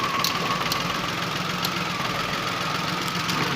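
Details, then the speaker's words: Datsun Go 3-cylinder petrol engine at idle, worse with the AC on: uneven, lumpy idle with an irregular stumble as one cylinder misfires; misfire from failed ignition coil. "कितनी बुरी तरह ये धड़धड़ा रहा है। अब हमें सबसे पहले ये ध्यान से देखना है कि ये कंफर्म करना है मिस फायरिंग हो कौन से सिलेंडर में हो रही है।"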